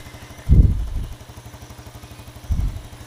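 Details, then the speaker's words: Yamaha Jupiter Z1 that had error code 46 and wouldn't idle now idles with an even, low putter and two brief bumps, the beat staying steady. Charging about 13 V running versus 12.x before. "Nah ini udah hidup motor ah langsam sudah enak Tadinya enggak mau langsam kok"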